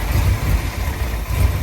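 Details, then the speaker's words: 1965 Ford F100 body on 1974 highboy chassis, supposedly crate 390 V8, automatic, fuel smell in oil: deep, lumpy idle that surges and sags unevenly; running rough, timing adjustment being tried. "So, as you can see, it ain't running real great. I'm gonna see if I can adjust the timing a little bit."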